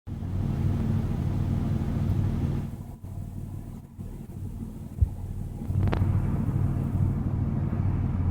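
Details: Regal engine with a low uneven rumble and stumbling beat, roughly three a second, staying ragged as revs rise; engine misfire.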